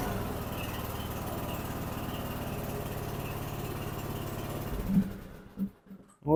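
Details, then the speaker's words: Snapper 150Z zero-turn mower, 21 hp, 42 in deck, that turned over but wouldn't start; after repair: engine runs steady with low regular putter for several seconds before shutting off; normal running. "you go it's working like new again"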